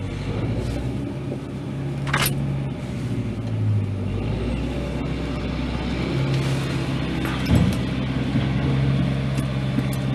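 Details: Ford F-350 XL 7.3L Powerstroke turbo diesel cold start with glow plugs and throttle held: long slow heavy crank that barely catches; hard starting, cause not identified.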